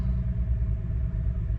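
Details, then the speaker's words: BMW 335i restarted after oil filter housing gasket and belt work with the intake removed and refitted; deep uneven, lumpy, stumbling idle, a bad misfire at first start that cleared on restart, owner guessing mass airflow sensor recalibration. "Something's going on with it. So I went under the hood and looked to make sure I had plugged everything in. It had a horrible miss when I first started it up."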